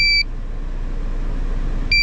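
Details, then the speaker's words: GZAIR SA103 portable carbon monoxide detector tested at a running car's exhaust tip: two short shrill beeps about two seconds apart over the engine; alarming with CO reading falling from over 1000, vibration stops below 200, alarm below 50. "I don't know if you can hear the vibrations at all but after the beep it vibrates once it gets under 200 the vibration is going to go away there's just an alarm"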